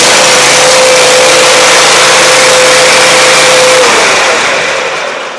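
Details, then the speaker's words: Customer's mower after repair of a no-start with intermittent spark: loose electrical wires cleaned and tightened, spark plugs replaced; small engine runs at a steady even pitch without missing, then winds down smoothly; fixed. "runs really well so i think that the customer will be happy we replace the spark plugs in it"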